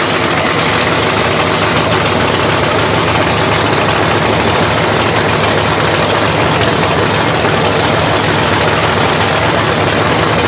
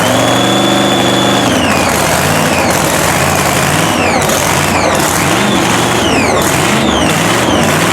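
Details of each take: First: Blown 3,500 HP Hemi in a drag race truck, started after an all-night rebuild following a 3-second pass: very loud, lumpy idle with an uneven, stumbling beat; one cylinder (number two) has a cold plug loaded with fuel and is not firing. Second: Blown 3,500 HP Hemi drag truck, start after an all-night rebuild following a 3-second pass. Loud, steady loping idle with blower whine rising and falling on blips; running on all cylinders.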